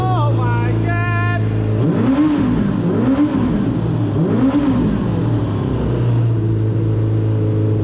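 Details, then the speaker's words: Suzuki RF900 motorcycle with a new engine, first start-up, with frayed throttle cables and a leaking hose. Picks up cleanly through three rev blips without stumbling, then settles to a steady idle; normal revving. "sure enough started right up I can rev it finally give it some gas and maybe that's all I needed"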